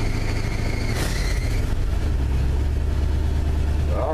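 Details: 1974 Ford F250 flatbed, first cold start of the year: thin high belt squeal rides over a fast cold idle for a second or so, then fades; a slipping accessory belt on cold start.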